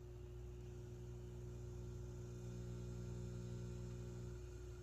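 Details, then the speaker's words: Steady low mains buzz near 370 Hz from a Peavey VB-2 all-valve bass amp (new filter capacitors, new 6CA7s) at low settings, caused by the passive effects loop; buzz goes away with control all the way up. "see how that buzzing goes away when it's all the way up get that a little bit of noise for the most part the amplifier is very quiet in the background"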